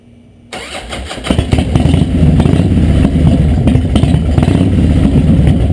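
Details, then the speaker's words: 2003 Harley-Davidson Deuce after 88-to-96 rebuild: starter catches, V-twin settles into a lumpy, loping, even idle with no knocks or ticks; owner notes more lope at idle than before, otherwise little difference. "be honest with you other than the idol i can't tell a lot of different the way it sounded before and after they can rebuild the idol it's got more of a look to it at idle"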